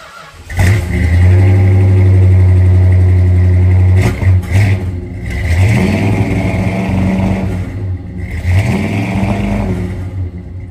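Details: 1968 Dodge Charger original 383 big-block V8, cold start after sitting six weeks: cranks and catches, then lumps along at about four beats a second with stumbles and surges; rough running from points dwell and ignition timing being off.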